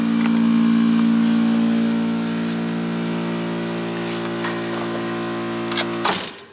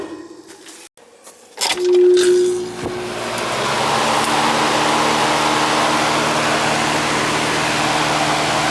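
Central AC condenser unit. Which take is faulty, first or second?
first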